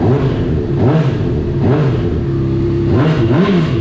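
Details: Salvage 2015 Honda CBR 600RR, 8,831 miles, running after tip-over sensor was plugged in and fuel pump primed; crisp note rising and falling smoothly with each throttle blip, revving normally.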